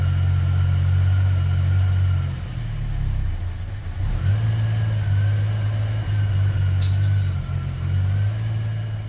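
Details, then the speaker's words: 1973 AMC Gremlin, 30 years in a barn, running cold without choke, ignition wired straight to the coil, carb not rebuilt: steady, low, even idle with a smooth hum and no ticking or knocking; quiet and healthy. "sounds pretty good. Nice and quiet, no engine noises. Just amazing with that carb."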